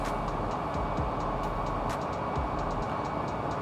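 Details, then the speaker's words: Air handling unit blower after replacing its three V-belts, set to medium tension; VFD-driven motor just started, ramping from 0 to set frequency. Steady even airy rush with soft regular beat, no belt squeal or slap; normal running. "നമ്മൾ motor start ചെയ്തു. ഇത് VFD drive ആയതുകൊണ്ട് frequency depend ചെയ്തിട്ടാണ് ഇത് ഓടുന്നത്."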